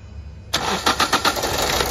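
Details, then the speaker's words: Toyota Etios diesel after petrol misfuelling, number 4 injector line and connector disconnected: starter churns with even compression beats but no firing; long crank, back leakage from injector 2 and the others, blamed on running on petrol. "দেখুন back leakage দেখুন, 2 নম্বরের back leakage দেখুন, কারণ petrol দিয়ে চলেছে তো একটার পরে একটা নজল দেখুন আস্তে আস্তে ব্যাক লিকেজ বেরোচ্ছে।"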